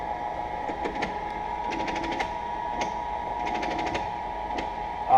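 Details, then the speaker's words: Cincinnati 205 milling machine, table moving on the x-axis power feed: steady motor hum broken by rapid click clusters every second or so; the feed stutters, stops and restarts as if a gear slips; dry feed needing lubrication. "that's what I'm talking about that noise that you hear and what it does is it makes us a stutter it'll actually stop and then run smooth and then stop"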